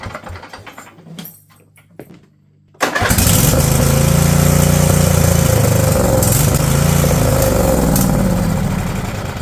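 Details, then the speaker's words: Husqvarna riding mower, Briggs & Stratton Intek V-twin, over 900 hours, new battery: steady cranking with uneven catches, never settles into idle; cranks but won't start, water found in fuel, cause not confirmed. "it's getting fuel it's just not running off of it I don't know what he trying to do violent what is it trying to do"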